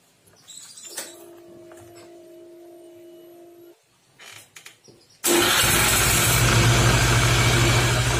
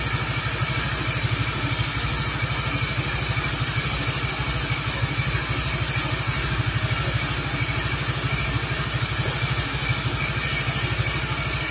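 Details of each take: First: Suzuki Nex FI scooter, engine running with rear wheel spinning on stand: quiet, then loud rough roar and grind that eases when the wheel is braked; weak on hills; gearbox and CVT bearing failure suspected. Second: Suzuki Nex FI scooter after CVT/gearbox service with the roller housing replaced; steady, even idle putter, the earlier loud CVT/gearbox racket gone, only a faint mechanical tick of slight gear wear remaining; normal idle.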